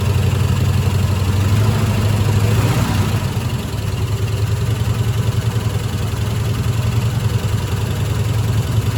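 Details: 1972 Ford F-100 Ranger XLT V8, first start after sitting over 10 years, fuel poured into carburetor bowl: rough idle with an uneven stumbling beat, a misfire; owner suspects a stuck lifter.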